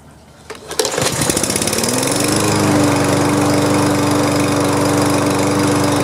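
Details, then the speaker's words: Push lawn mower (free, given basic maintenance) pull-starts on the first pull and climbs quickly to a steady, even drone; runs smooth and healthy, normal running. "well that one cranked up right away that's great"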